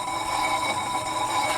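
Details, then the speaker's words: 2004 Ford Explorer Sport Trac wheel, jacked up and spun by hand after replacing the seized-bearing spindle with a regreased junkyard spindle assembly and rotor: smooth even whir with faint brake pad brush, no growl; hub bearing healthy. "But let's go ahead and give this a spin like the Wheel of Fortune. I'd say it's rolling pretty good."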